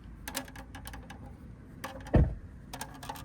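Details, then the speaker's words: Refreshed Tesla Model Y (Juniper) with aero wheel covers: sparse dry crackles like pebbles crunching come from the wheels as they roll; the plastic aero covers are creaking. "and you will hear what appear to be pebbles crunching in there. Drives me crazy. And what it is is it's actually a creaking noise."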